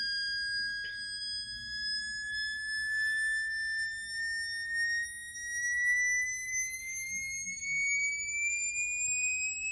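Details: Jensen V21 upper driver bench-tested on a Leslie 21/22 test station with a 22H amp: a clean pure tone sweeping slowly upward over ten seconds with no buzz or rattle; the driver sounds good.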